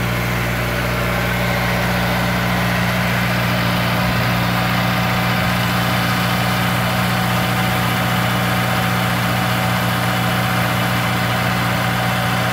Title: S2000 engine noise cold start - after TCT install.